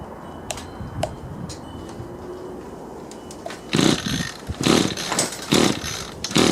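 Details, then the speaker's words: Echo two-stroke string trimmer repaired with 3D printed parts, primer pumped, choke on: several sharp pull-start bursts, then it catches and buzzes unevenly on choke, a normal start. "all right everything's pumping up choke is on"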